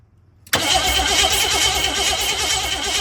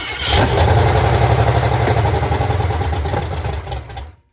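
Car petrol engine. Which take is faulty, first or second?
first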